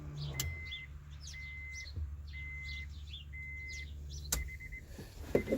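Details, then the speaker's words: Supercharged 2.2L Honda Prelude with a new fuel pump and harness wired straight to the battery through a relay: with the ignition switched on, the pump hums steadily for about four seconds, then clicks off, priming normally. "turn the ignition on position and hopefully you guys can hear the the quick and the humming sound of the fuel pump"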